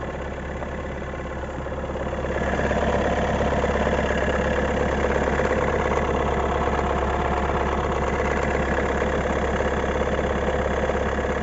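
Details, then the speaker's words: 2019 Renault Megane IV 1.5 dCi K9K 872 turbodiesel, cold idle in sub-zero weather: busy steady rattle from the right side for 3–5 minutes until warm; cause a worn crankshaft damper pulley. "Звук вот такой вот звук исходит на холодную от 3 до 5 минут"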